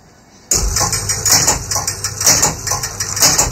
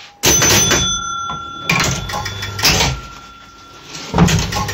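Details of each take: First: Gottlieb Spin A Card pinball machine, game-over fault being traced to a suspected motor switch: rhythmic clattering of relays and cams about once a second, steady and even; score motor cycling normally through game over. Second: Gottlieb Spin A Card pinball machine during repair: after 500 points and top bumper, relay clatter and motor chatter keep repeating where game over should occur; game fails to end, traced to a bent motor switch barely making contact.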